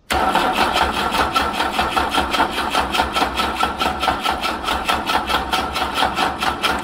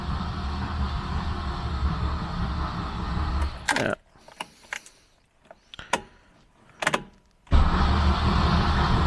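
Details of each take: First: Wolseley 18/85 (BMC 1800 'Landcrab') pushrod engine, sitting for years, choke pulled and ignition reconnected: starter cranks evenly at about two and a half beats a second for seven seconds without catching. Owner suspects no fuel reaching the carbs yet. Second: Wolseley 18/85 BMC 1800 Landcrab after sitting for years, cranking with spark plugs out: two bursts of brisk, even cranking with a pause between; the starter spins the engine freely and quickly.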